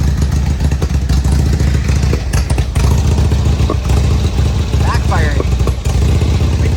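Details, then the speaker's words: 2002 Harley-Davidson Road King Screaming Eagle (FLHRSEI) with new plugs and wires: lumpy idle with stumbles, pops and backfires; spraying carb cleaner at the rear intake makes it rev up, confirming an intake air leak; worn intake seals need replacing. "I'm going to spray some carb cleaner back here by the air intakes. Hear it rev up? Sucking air. So, it's sucking air in the back."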